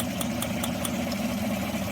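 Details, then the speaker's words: Chevy/GMC 5.3L truck engine, often mistaken for lifter tick: sharp dry snapping ticks about five a second over a rough idle, spark arcing from a worn plug wire off the coil, causing an ignition misfire. "another ticking sound that often gets confused with lifter tick on these engines is coil arcing or spark jumping"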